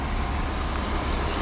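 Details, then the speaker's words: 1985 GMC C1500 Sierra V8, just started cold after sitting a long time: deep, steady hum at a raised, even speed with no stumble; high cold idle that drops once warm and the gas is tapped. "You can kick it down though by kicking the gas pedal. I haven't figured out how to adjust that yet, but it does idle kind of high when you first start."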